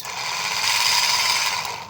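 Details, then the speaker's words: Buffalo rechargeable sprayer with weak spray, opened up: the small pump motor runs with a high, gritty whirr and a raspy, ratchet-like edge because it is rusted inside. The motor is still usable. "Maingay ang andar ng motor, kinalawang na."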